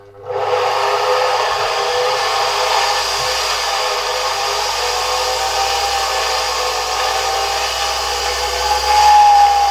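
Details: 1973 Zelmer 01A vacuum cleaner, type 34 motor taken out of the housing and run at reduced voltage: smooth, steady whirring hiss with no scraping or rattle; the turbine runs clean.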